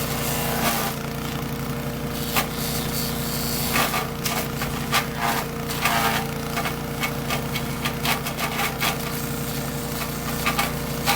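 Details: Troy-Bilt chipper shredder model 24A-414B711 test run after new carburetor fuel line fitting, oil change, new tires and oiled recoil, chipping hard dry sumac branches: engine holds a steady drone while branches crack and splinter in bursts, no bogging; normal chipping under load.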